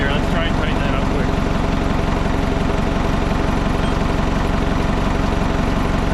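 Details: Old Hitachi excavator diesel, abandoned possibly over 10 years, started: settles into even, steady idle with regular firing pulses, no stumble or dying; healthy.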